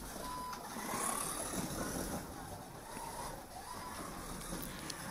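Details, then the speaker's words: Pioneer Legends series slot car run out of the box with only oil, no tuning: out-of-round tyres chirp and scuttle, high spots bouncing across the track so the tyres don't grip. "you can hear the tires aren't round there's a sort of a chirping noise and a scuttling noise you can hear that the high spots of the tires are bouncing across the track and the the tire is not gripping"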